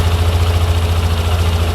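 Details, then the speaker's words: Bike with a Juken 5 ECU, idle target set to 1700 rpm, just after start: revs flare to 2750, then slowly fall toward target, with a slight rhythmic rise and fall and no knocking; normal ECU-controlled idle. "Langsung dia akan turun secara berlahan sedikit-sedikit, ya. Dan mesin akan dipaksa sesuai target, yaitu 1700 rpm."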